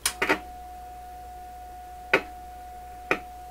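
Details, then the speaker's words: PYE Columbia Stereo 360 amplifier during troubleshooting: sharp irregular pops and crackles over a faint steady hum from the speaker. The intermittent popping persists after heat exposure, with concern that a transistor is overheating; more clicking suspected, and the problem is still unresolved. "You can already hear it popping. I won't have done it any favors with all that heat. Just get the impression that there's more clicking than that."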